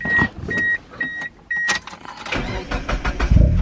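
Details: Mazda Eunos Roadster, about 50,000 miles, first start after 5 years following fuel pump replacement, a previously non-engaging fuel relay, and a new battery; four chime beeps, brief crank, quick catch into steady idle; normal engine start.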